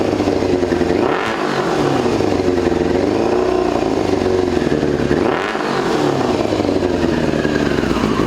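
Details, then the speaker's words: 2002 Yamaha YZF-R6, sat 6 years, run on an electric fuel pump. A lumpy, uneven idle with a ragged exhaust beat and stumbles, as if on three cylinders. A gummed-up carburetor is suspected. "I feel like one of those carburetors is gummed up. I feel like it's only running on like 3 cylinder"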